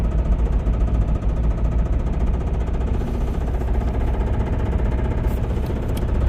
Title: Limped my Rod Knock Camry Home!